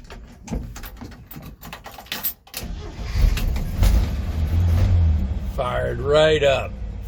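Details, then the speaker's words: 1965 Chevy pickup carbureted engine, sat a week, float bowl primed by newly installed electric fuel pump: short crank catches at once and rises into a smooth idle; no more long cranking, starts cleanly. "right up just the way it's supposed to"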